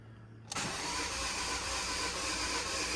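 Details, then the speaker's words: Non-running car, about 58,200 miles, nearly full tank: starter spins the engine steadily for a few seconds but it never catches; cranks but won't start, compression sounds present, timing suspected. "okay okay okay okay that sounds like compression to me it could be timing out"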